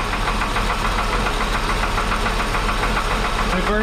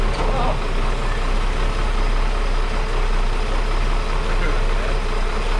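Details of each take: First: 1961 Ford Falcon Delivery cold start with old, long-sitting oil later found thin; fast light ticking about three to four a second over idle; owner suspects a lifter, not confirmed. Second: 1961 Ford Falcon Delivery after exhaust fix, oil change and wiring work; low steady idle with even beat, no misses, knocks or ticks; running smoothly.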